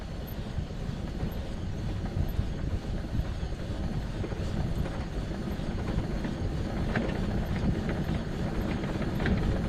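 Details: 2006 Arctic Cat Prowler XT 650 H1, after replacing a failed output shaft bearing: steady low rumble with rough gritty grinding as it runs, same as before; root cause of the bearing failure still unknown.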